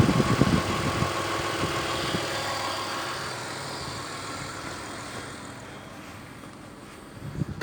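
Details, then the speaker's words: Toyota Windom 4VZ-FE petrol V6 after fixing shaking, misfiring, no power and fuel smell from a simple cause: revs up and settles toward idle smoothly, no stumble or shake; running normally. "Все работает, все нормально. Причина была абсолютно банальная."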